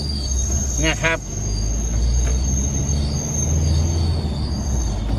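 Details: Isuzu, all fluids and engine oil changed at Isuzu dealer Udon Thani 31 July: thin steady high-pitched squeal over road rumble while driving, brief warbling chirp, lessens when braking; owner suspects dealer service error, cause unclear.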